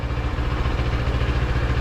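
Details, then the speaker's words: Yamaha MT-07 (700MT) twin idling after fix for TFT screen cowl vibration noise: even low thump, no buzz or rattle, no movement or vibration heard at the screen; smooth, healthy running. "um yeah I'm not hearing anything from here at all no no movement no vibration at all"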